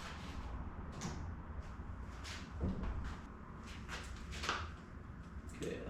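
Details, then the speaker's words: 1993 Dodge W250 first-gen Cummins with LED sealed beams and a newly installed relay headlight harness: scattered sharp clicks over a low rumble as both relays switch with the high beams, showing they work. "you could hear that the relays were clicking when the high beams came on and off so they they're both working"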